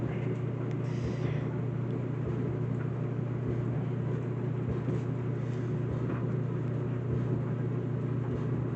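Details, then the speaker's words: Whirlpool WED9500TW dryer, Normal cycle drying colors: even low motor hum with soft irregular thumps of tumbling clothes about twice a second, a bumping noise present through years of ownership; normal dryer running. "Like you just hear the sound of it, of the dryer. Like it isn't too loud."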